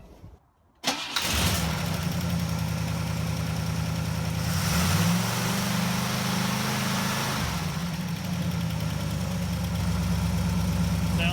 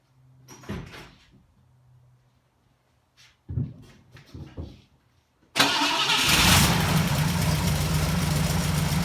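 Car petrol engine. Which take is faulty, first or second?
second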